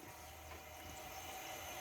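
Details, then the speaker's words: APEC reverse osmosis drinking water system just installed under a sink, first turned on with tank valve open; steady even hiss and trickle as the filter housings fill, no spurts or gurgling. Normal filling. "We got the unit turned on, and it's filling the filter units up. with water. You can hear that."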